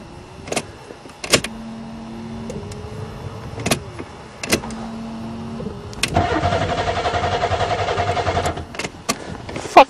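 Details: Buick Regal on its first start attempt in spring after sitting over winter, fuses good, fuel pump now running: starter turns the engine over in short bursts with a steady rhythm but it never catches; crank, no start, owner suspects no spark.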